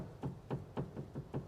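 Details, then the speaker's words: Subaru Impreza WRX STI: dull regular knocks about four times a second as the steering is rocked, from slight play in the steering rack end; wrong-length anti-roll bar bolts suspected as the main knocking source. "ever a slope play in the end of the steering rack I mean it will cause a knock but I think most of our problems probably here that this issue"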